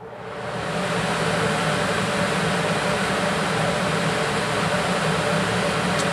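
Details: HVAC blower motor running after capacitor replacement, drawing about 4.2 A: steady even rush of air with smooth motor hum at constant speed, no rubbing or rattle; normal.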